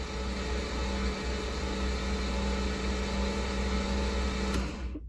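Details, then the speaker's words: C5 Corvette engine being readied for racing on E85, cranked with spark plugs removed to prime oil: fast, even starter drone with no compression pulses, turning freely while oil pressure builds; normal. "engine spinning over [Music] no spark plugs are in so it's able to spin over pretty quick with no load and here comes oil pressure"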